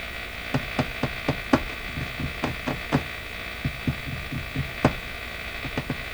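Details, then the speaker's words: PYE 39HC valve radio after the motorboating fix: loud steady hum with irregular pops, still audible with volume at zero; cause of the excess volume unknown. "well why it is we can still hear it with the lion at zero i don't know [Music] it's just got a ton of ton of volume"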